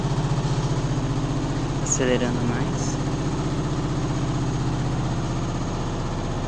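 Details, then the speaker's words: Neighbour's Midea HealthGuard washer in spin, heard at night: heavy rhythmic thumping drone about four beats a second, intensifying as the drum accelerates; it unbalanced twice, worse than own washer with damaged heating element. Loud vibration, out-of-balance or loose part suspected. "Tá pior que a minha quando com a resistência estragada, né? A minha não tem isso tudo. Mas o barulho é semelhante. Mas ela não sai do lugar."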